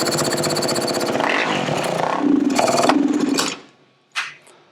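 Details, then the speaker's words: 2010 Kawasaki KX450F with rebuilt top end and new valves, running on brake cleaner sprayed into the airbox: fast rattling single-cylinder beat lifts briefly, then fades and dies with no throttle response; bogging, fuel pump suspected, not confirmed. "no throttle so i think that the fuel pump"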